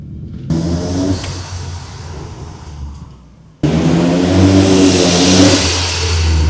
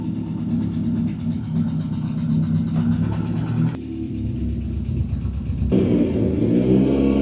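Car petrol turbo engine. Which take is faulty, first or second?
second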